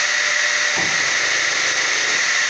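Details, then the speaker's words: Circular saw with a dual low and full power economy mode: a steady, high saw whine, then a brief low grumble as the motor switches over to full power. "a videóban hallatszik, hogy kicsit morog utána a motor, amikor átkapcsol."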